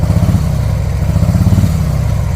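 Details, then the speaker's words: 2024 Harley-Davidson Road Glide stuck in limp mode with check engine light, revving: loud lumpy uneven rumble with little pickup; running on one cylinder due to faulty ignition coil harness wiring, before repair. "when you try to use the gas, it's running on one cylinder. So I'll show you guys right now. I'm revving it up, you hear?"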